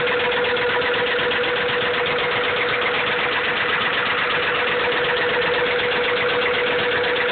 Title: b16 rod knock.3gp